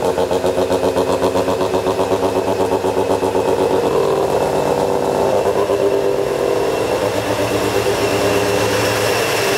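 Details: Mazda FC RX-7 13B rotary at first start after weeks of work; loud, choppy idle with a quick, even braap pulse of about four per second, steady throughout; normal idle.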